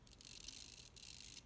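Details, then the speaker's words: HPI RS4 nitro RC car's old steering servo: faint, fast, raspy high-pitched chatter in short bursts, bad in reverse. It is jerky, glitching and shaking even with the controller released; it sounds like it is frying inside and is being replaced. "It sounds like it's frying inside. Now, I'm letting the controller down and it's still doing it. So that's why we're replacing it, because it's shot."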